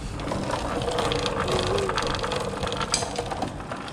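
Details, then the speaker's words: Motorcycle chain after cover refitted, not yet lubricated, wheel turned backwards by hand; light even ratcheting tick, no grinding or heavy clunk, runs free. Normal chain drive, unlubricated. "Okey, ni belum tak minyak guys ni kalau letak gantai kan, bunyi dia lagi smooth lah."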